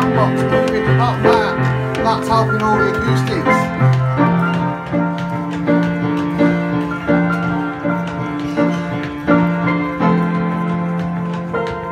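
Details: Weber Pianola Duo-Art player piano with a vacuum leak from the perished accordion box: full, strong notes and chords sound evenly through the roll, with no weak or dropped keys; pneumatic action playing properly.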